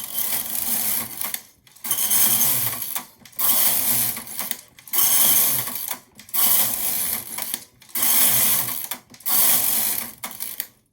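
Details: Empisal Knitmaster electronic knitting machine (550/560/580, Silver Reed SK-840) knitting two-colour Fair-Isle from Mylar sheet; seven quick raspy carriage sweeps about 1.5 s each with brief pauses, smooth and regular; knitting normally.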